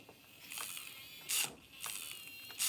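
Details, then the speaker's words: Traxxas Slayer Pro nitro truck with sluggish acceleration complaint: short harsh ratcheting grinds, about four bursts in three seconds, as throttle servo swings full reverse; servo gears dead, steering servo fine. "do you hear that it's making tons of noises oh throttle servo is dead and that is full swing in reverse"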